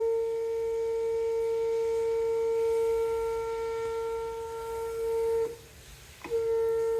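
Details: Steady pure tuning-fork-pitch whistle/whine from the sink water supply pipes, briefly cutting out; only occurs when another faucet or the sprinklers are running.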